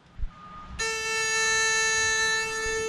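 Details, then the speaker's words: Mercruiser boat spring prep, horn check at control panel: single steady thin horn tone sounds cleanly for over two seconds without warble or cutout; horn works but owner finds it weak. "We gotta get a bigger manly horn."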